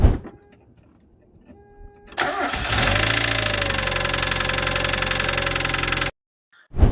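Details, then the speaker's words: Engine starts and runs with a hard metallic knock; possible causes named include low oil, abnormal combustion in the cylinder, worn bearings or expired oil; check oil level first. "حرفيا هذا الصوت هو اخطر صوت ممكن تسمعه بالمحرك واسبابه ممكن تكون كثيره اما نقص بالزيت او احتراق غلط ضمن السلندر او ممكن بواجه تعبانه او حتى ممكن يكون الزيت خالصه مديوه بالسياره"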